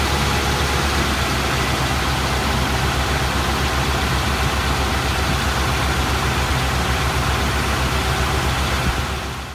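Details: Rough lumpy idle, uneven pulse about four beats a second: misfire of unknown cause; codes scanned, cylinder balance test passed all cylinders; cap, rotor, plugs, wires, coil and temp sensor already replaced, timing set.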